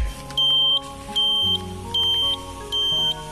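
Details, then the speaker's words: 2002 Yamaha F1ZR Caltex special edition two-stroke with high mileage: its turn-signal buzzer gives loud, shrill, evenly spaced beeps at about 77 a minute. It works normally. "Tapi untuk indikator masih nyala, kita nyalakan. Kita nyalakan. Nah, ini masih nyala. Oke. Sen oke lah, pasti bunyi kalau sen."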